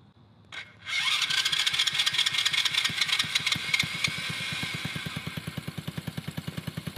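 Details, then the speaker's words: Small engine on a $200 three-speed off-road go-kart, carburetor just cleaned, cranks and catches then uneven popping about two or three per second that fades and slows; runs very quietly but dies when given throttle. "so quiet give us some gas and it died"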